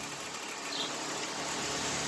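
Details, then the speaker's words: Vintage window fan running backwards (drawing air in) after a few drops of oil on the centre rod cleared its noise: smooth, quiet, steady airy whoosh with no scraping or squeal, only a faint grille rattle; normal running. "how quiet it is now except for a little bit of rattle of the grates"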